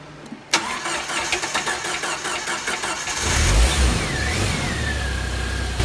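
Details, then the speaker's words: 1999 Jeep Wrangler TJ, cold start before an oil and filter change: the engine fires with a loose, uneven clattery rattle for the first seconds, then settles to a rougher idle. It is fairly quiet cold; the idle knock (timing chain suspected) builds as it warms. "So I know you've probably heard it when it first started up, rattling, but when it's cold like this, it's relatively quiet."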